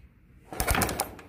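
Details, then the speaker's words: Motorcycle ignition check after reconnecting a wire, key on and kick-started: a few sharp snapping ticks as the ignition fires a good, regular spark. "Có lửa đấy anh em. Có lửa, nghe tiếng tạch tạch có lửa rồi."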